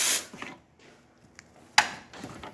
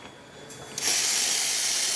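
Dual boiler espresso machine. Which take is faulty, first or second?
first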